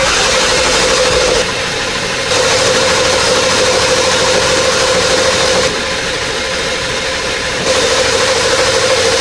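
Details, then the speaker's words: OBS 7.3L Powerstroke diesel starts after a Full Force Diesel stage 2 HPOP install and settles into an even, clattering idle with steady injector rattle and no misses. Check engine light is on, suspected low ICP or needing a reset. "oh my God it sounds really good check engine lights on start it up again here"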